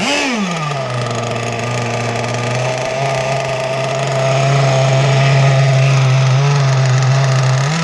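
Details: 30cc two-stroke (carb thought to be 2048, needles 1¼ turns out, stock settings) on an RC BoatWorks T-44 catamaran at its first run, warming up below full speed: buzzy drone settling slightly lazy, thought to be running a touch wet, and slow on the wrong prop.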